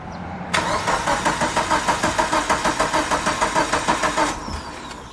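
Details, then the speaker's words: Mitsubishi Lancer Evo 8 cranking after sitting 8 years, old starter just replaced, cam/crankshaft sensor left unplugged: about four seconds of steady starter cranking, roughly three turns a second, never firing; crank-no-start. "it wouldn't help if i just could if i reconnect the cam crankshaft sensor so nervous i have i took i forgot to plug those in"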